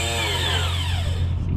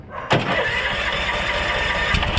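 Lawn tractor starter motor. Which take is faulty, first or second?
first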